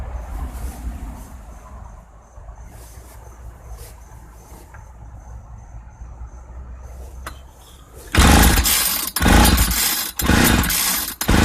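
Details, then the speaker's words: 1995 Ardisam 8900 auger, no primer bulb, full choke, ignition on: quiet pulls, then a few loud firing bursts that die after about a second each. Fuel system fault; needs carburetor, fuel line, filter and tank service. "There seems to be a problem with the fuel system. With the age of this thing, I'd say it's time for a good old-fashioned fuel system service."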